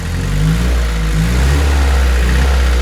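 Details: VW 1.6 NA diesel swapped into a Ford Ranger, after rebuild with new piston and cylinder head following a shattered #1 exhaust valve: deep, smooth rumble rising and settling evenly with throttle, no misses or knocks; running fine, warming up.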